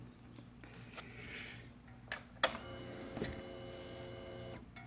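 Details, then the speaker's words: Honda Rancher TRX420FE at key-on after fuel filter replacement with kit 16706-HN8-305; the old clogged filter had caused throttle hesitation and cut-outs. A thin, steady electric buzz holds evenly; the fuel pump is priming normally. "there you can hear the pump running sounds good"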